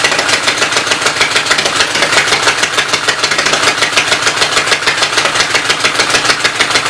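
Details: Loud clattery run of the Westchester engine with valve cover off, ticking about 200 a minute, oil spraying; owner suspects smoking from a knocked-out block, oil up from crankcase; worn top end needs rebuilding.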